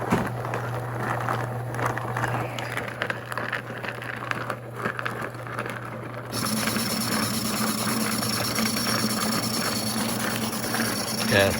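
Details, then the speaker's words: Home-built rock tumbler plugged in for comparison with a quieter used Thumler's Tumbler: loud, continuous low hum with grinding roll; owner plans to rebuild it to get rid of the sound. "it is a hell of a lot quieter than the one I built I'll go ahead and plug that one in you can hear the difference"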